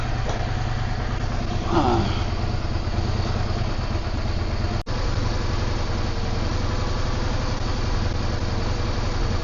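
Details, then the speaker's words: Yamaha V-Star 650 that was not running properly, now idling with a steady even low putter, no knocks or misses, clearing up; oil smoke from rear cylinder, owner suspects from long sitting. "I can hear it clearing up as it's just sitting there idling it's cleaning out"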